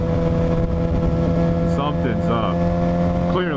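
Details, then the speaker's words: 2007 Suzuki GSX-R 750 on the road, uneven beat like three cylinders with thin whine over road noise; owner suspects stator or regulator/rectifier, original 2007 battery; misfire with whining noise. "it even feels like we're running on like three cylinders and there's this weird whining noise that I've been"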